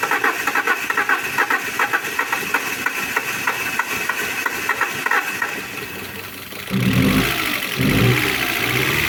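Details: Alfa Romeo 147 Twin Spark that had misfires and a rough idle, after new valve seals and a timing belt. Fast, even ticking idle, then a short throttle blip rises smoothly and falls back; normal idle.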